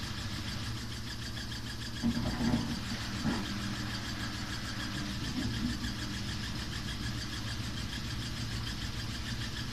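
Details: Samsung WW5300 (WW95T534CAE) front-load washer, new and on its second use, runs abnormally loud with a droning hum and a fast, rough rhythmic clatter.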